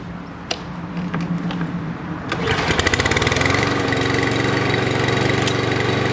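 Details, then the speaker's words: 2017 Toro Recycler lawn mower that started then stalled, after cleaning the gas tank and carburetor and adding fresh gas: fires at once after a few clicks and settles into a steady even buzz, no surging or stalling; carburetor was the problem. "All right, guys, semi-new lawnmower, but that was the problem. Just got to clean out the carburetor."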